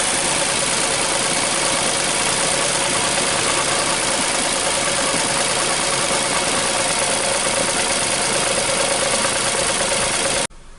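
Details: 2014 Nissan Versa 3-cylinder after replacing 2 bad coils and 2 bad plugs, previously running on about 1 cylinder: even, steady idle with no stumble, all cylinders smooth, no trouble codes.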